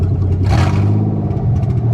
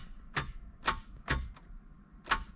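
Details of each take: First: 1990 Nissan 300ZX engine after fitting a new MAF, still cold so it may miss slightly until the valves heat and seal: deep even note rising in one clean blip and settling without stumbling; revs smoother than with the hesitant old MAF. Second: Project Nissan 300ZX first start attempt: single sharp clicks at uneven intervals with no cranking; starter not turning engine, owner suspects seized or non-engaging starter.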